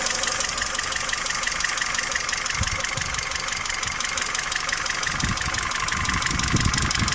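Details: Peugeot 307 2.0L EW10J4 idling with a light, fairly regular ticking knock up top over a hissy background; camshaft knock from worn camshaft journals and bearing seats.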